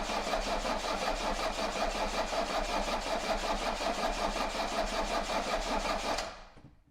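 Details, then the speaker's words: Mercedes 240D diesel with clanking and heavy smoke, one cylinder suspected of low compression, cranked without glow plugs and injector nuts loosened to bleed fuel: steady, evenly spaced compression beats about two to three per second; normal cranking. "yeah I think it had a really good sound very evenly spaced"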